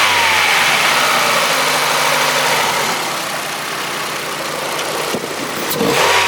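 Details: Old Ford petrol engine after new injectors and throttle body, jump-started on flat battery: strong intake hiss through the filter, brief sag in the note midway; running better but a slight stumble remains.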